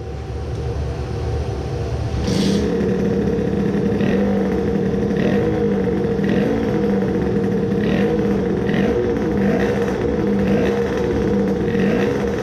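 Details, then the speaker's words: Tuned two-stroke moped engine (around 20 hp) with a coolant hose clamp just replaced, after crankcase filling pieces were installed. Revved in neutral: a steady drone with clean throttle blips that rise and fall without stumbling, running normally. "No niin nytten käynnistetään ja kokeillaan miten se kiertää vappaalla katotaan että pystyykö vappaalla jo huomaamaan pappatunturien hengen kun nyt on täytetty kampikammiota"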